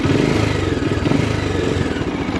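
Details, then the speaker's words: Bajaj Dominar 400 motorcycle after start-up: the start-up ticking clatter has cleared, leaving a steady, even single-cylinder idle with no ticking; normal idle. "Pero tahimik na siya, wala na yung taka-taka-tak. Wala."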